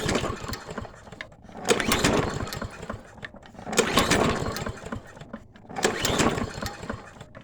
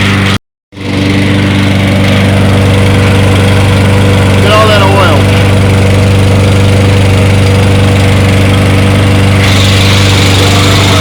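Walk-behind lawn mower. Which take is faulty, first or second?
first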